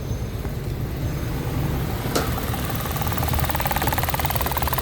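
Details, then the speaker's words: 2017–2018 Mitsubishi Mirage automatic with a check-engine lambda sensor circuit high fault: low, even idle hum with no shake or stumble, checked for vibration; normal idle. "Ayan na. Ito normal na to."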